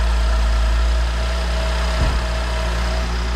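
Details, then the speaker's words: BMW X5 at idle after idler pulley and serpentine belt replacement: deep, steady hum with the earlier constant whine gone, and belt and pulleys sound quiet and healthy. "Oh my God, no whining."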